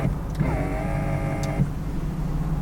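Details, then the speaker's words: 2003 Ford Thunderbird with 68,000+ miles, convertible top button pressed: a small electric motor/actuator hums steadily for about a second, then stops, and the top does not move. "I'm not exactly sure what the deal is with the convertible top. I was hitting the button in there. I heard the motor, the actuator or whatnot making some sounds."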